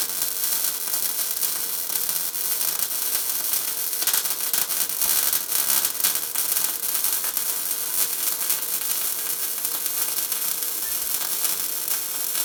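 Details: Tesla MIG 260 MIG welder welding 3 mm metal: steady, even frying-bacon crackle with no pops or sputters, the correct sound of a welder properly set for this metal.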